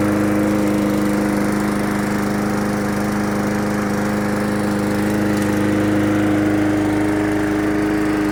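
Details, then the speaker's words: MTD 20-inch push mower after carburetor, air filter and spark plug replacement: started on the first pull, holds a steady, even drone at working speed, no misses or surging; runs clean and healthy. "Well, it started on the first pull that time. See what it does now."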